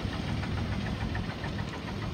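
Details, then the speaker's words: 2010 Ford Explorer XLT 4x4, idled about 20 minutes without overheating: uneven lumpy low thump in the exhaust from an engine misfire; seller doubts it is highway-drivable. "you can hear the misfire in the exhaust"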